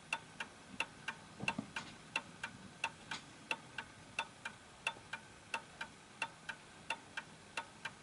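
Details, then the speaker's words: Vintage Napoleon Hat Westminster chime mantle clock after its pendulum beat was adjusted: a crisp, even tick-tock at about three beats a second, evenly spaced, with the clock running in beat. "okay so there we go that's ticking away nicely"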